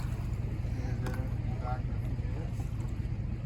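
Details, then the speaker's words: 1997 STX900 personal watercraft idling in the water after the starter, solenoid and Bendix were replaced: a steady, even, low two-stroke burble, about 2.5 pulses a second, over wind and water. It idles and runs fine. "as you can see it's idling just fine it's running fine"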